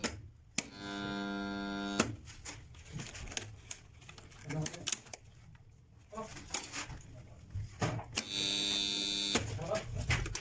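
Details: Contactor making two loud, steady buzzing hums about a second and a half each; abnormal sound from dirty contacts, needing cleaning.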